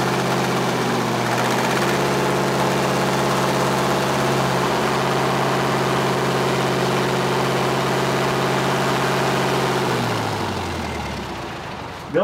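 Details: Tatra 148 diesel after full engine rebuild, first start after three years, run in the workshop: steady, even deep diesel idle holding a constant beat for ten seconds before winding down; engine runs healthy.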